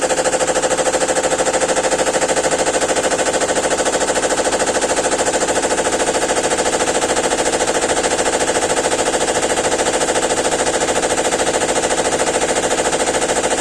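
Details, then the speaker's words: GEDTECH GLL71200WH 7 kg 1400 RPM front-loading washer, under 3 months old, during spin: rapid, evenly spaced hammering near three knocks a second as the machine shakes abnormally; owner suspects a manufacturing defect, cause unconfirmed, error E2 shown. "C'est pas normal que ça se secoue comme ça. C'est. Ça fait du bruit encore."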